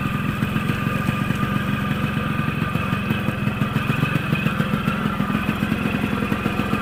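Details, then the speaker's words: Yamaha RX100 two-stroke road test after reassembly and loose gear-linkage fix, ridden about 2-3 km: crisp, even, steady pulses under wind and road noise; no problems, good acceleration, healthy with no misfire. "โอเคนะครับลองจากการที่ได้ลองขี่ดูนะครับระยะทางเข้าน่าจะอยู่ประมาณ2-3กิโลนะครับก็ถือว่าไม่มีปัญหาอะไรนะครับไม่ได้อัตราเร่งตอนสายก็ดีนะครับ"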